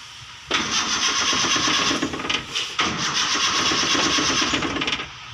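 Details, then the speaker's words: Toyota Kijang after alternator wiring work, started by manual starter: two cranking bursts of about one and a half and two seconds, starter whirring but never catching; ignition coil wire had come loose. "Wah ada trouble temen-temen sebentar ternyata kabelnya lepas temen ini kabel itu sibuk ntar ya kabel inisims koil kabel english.you untuk disebut ane lepas ok"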